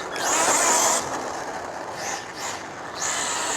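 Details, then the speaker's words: Rlaarlo Omni Terminator 1/10 RC monster truck, Hobbywing 10BL120 G2 ESC on max punch, on tarmac: harsh high ratcheting grind in bursts each throttle punch, sharper at full power, worsening until drive gone; stripped pinion gear. "Sounds like the pinion might be stripped. Can you hear that? Yeah, something's stripped."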